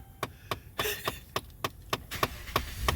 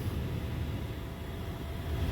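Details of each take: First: Dodge Ram 1500 with a Chrysler HVAC module plugged in, key on: sharp knocks about three times a second in an uneven rhythm behind the dash; recirculation door actuator acting up. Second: Dodge Ram 1500 with a known-good HVAC module plugged in, key on, blowing cold: quiet, steady low whoosh with no whine, rattle or surging; normal blower operation. Recirc noted acting up.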